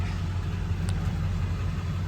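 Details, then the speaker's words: 2000 Ford Excursion Limited 7.3L Powerstroke diesel 2WD, 192k miles, stock, warm (not a cold start, driven about 10 miles), recorded inside the cab: fires right up, deep steady rumble with no misses or knocks; normal idle. "You guys, fires right up. All the lights go away once it's been running, you know."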